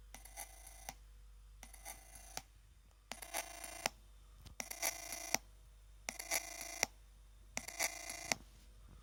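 Bursts of bright, phone-like electronic chirps repeat about every one and a half seconds over a quiet background; source unknown.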